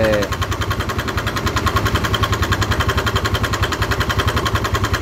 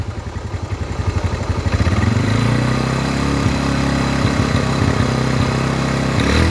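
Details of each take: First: Motorcycle engine revved with oil spurting at the tensioner position: rough, regular knocking about three to four times a second over the engine, located at the cylinder head; cylinder head knocking. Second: Motorcycle engine after repair of a rough top-end noise, oil now reaching the head; starts, settles into even idle, then slow throttle blips rise and fall smoothly, the rough noise gone.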